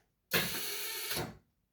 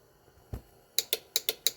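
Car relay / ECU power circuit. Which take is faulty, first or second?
first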